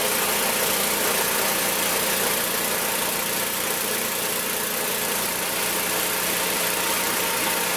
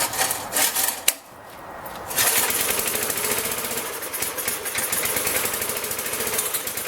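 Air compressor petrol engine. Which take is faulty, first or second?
second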